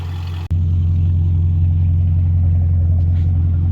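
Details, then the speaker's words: 2003 BMW E39 540iA V8, 170k miles, new water pump and thermostat, first start after sitting days: steady, quiet, even idle with no ticking or knocking; suspected vacuum leaks and an exhaust leak, secondary air pump running. "after a couple seconds of warming up just how it sounds super quiet doesn't sound like there's any ticking any knocking nothing"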